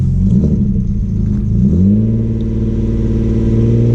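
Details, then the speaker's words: Audi B5 S4 after installing a new 3-bar MAP sensor and matching tune, engine still cold; pulls up smoothly from idle to an even drone with no misses or knocks, small pops, known exhaust leak underneath: normal revving. "yeah, it seems to rev normal."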